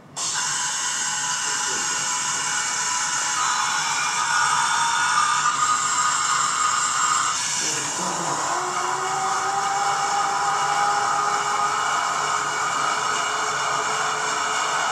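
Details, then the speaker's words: Test firing of an Air Turbo Rocket (ATR) engine: loud steady roar and hiss with clear whistling tones that settle and hold evenly, likened to an orchestra; burning cleanly and running well, normal. "it sounds if you're an engine guy like me it sounds like the New York Philharmonic Orchestra so be quiet listen to the noise"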